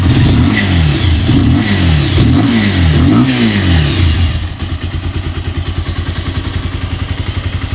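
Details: Bajaj Pulsar 220 BS6 single-cylinder engine after repair of an engine noise problem, started in neutral with tank and panels removed: crisp blips rising and falling cleanly, then even idle with no clatter or tapping; healthy.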